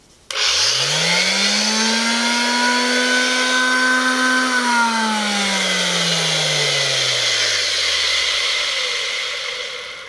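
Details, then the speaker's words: Finish sander run in a side-by-side with a Makita BO4556K (14,000 opm); Porter Cable 330 block sander (15,000 opm) sounds more powerful and stops slower: smooth steady high whine, long even coast-down; normal. "Pretty dramatic. I really like the fact this shuts down quick, but you can also hear that porta cable is it certainly sounds more powerful."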